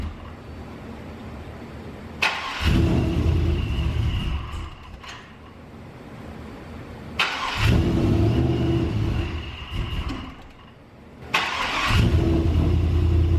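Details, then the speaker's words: Supercharged GMC V8 at first startup after vacuum block install and replacing an intake O-ring: cranking catches into a strong rev, then settles to a steady deep idle, repeated; normal startup and idle. "test the key a couple times didn't squirt out anywhere so let's try to fire it up for the first time for the second time"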